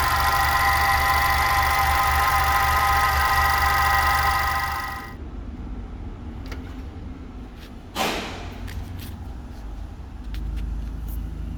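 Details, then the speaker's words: VW Jetta MK5 just after a cold start: an even knock at nearly four a second at idle for the first few seconds, then it goes quiet; the cause is unclear. "yeah so basically after i start up the car i show the there's a there's a regular sound like something knocking on the engine and then it disappears"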